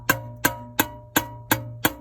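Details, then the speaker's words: 2011 Ford F-150 at startup: sharp, evenly spaced tapping about three per second from the center console. Cause is the blend door actuator's cheap gear teeth breaking; fix is replacing the actuator. "it's more of a tapping noise coming from your center console is more than likely, because this culprit back here, your door selector switch actuator, basically the motor that tells your, well, no, it doesn't tell, it physically moves your door from cold to hot."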